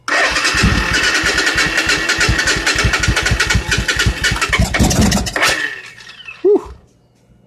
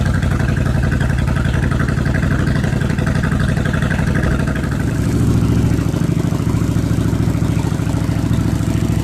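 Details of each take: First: 1986 Suzuki Intruder V-twin, weak 11–12 V battery, clutch switch bypassed: starter churns about three beats a second, catches with a few brief pops, then dies; starved of fuel, running only on starting spray. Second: 1986 Suzuki Intruder V-twin with new fuel pump, jury-rigged battery, fuel poured into the float bowls, choke on: steady low throbbing idle, even firing on both cylinders, slight swell near the end; running cleanly.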